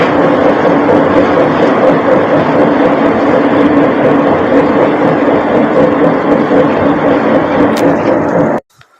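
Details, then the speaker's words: Toyota SW4 3.0 turbo (2000) moving above 40 km/h: a steady low roar with an alternating pulse about four times a second as the wheel turns. Worn wheel bearing. "Então pessoal eu vou estar deixando aí para vocês agora o vídeo com o som do barulho e veja aí como o que é que acontece quando o rolamento está ruim"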